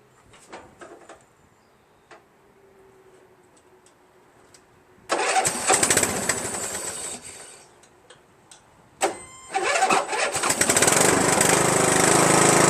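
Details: Free Poulan 42" lawn tractor with 14.5 HP Briggs engine, previously wouldn't turn over from gas-flooded crankcase, after oil change to fresh SAE 30, new fuel line, filter and shut-off valve: cranks, catches and settles into steady, even run without knocking; running fine.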